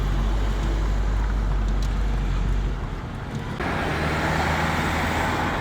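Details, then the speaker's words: 1998 Renault Laguna 2 2.0 with 509,000 km, on road test after cylinder head work: smooth, even engine drone under road and tyre noise, no knocks or ticks; runs normally with no problem. "devam ediyor Evet bir ses yok şu anda gayet güzel yani problem yok"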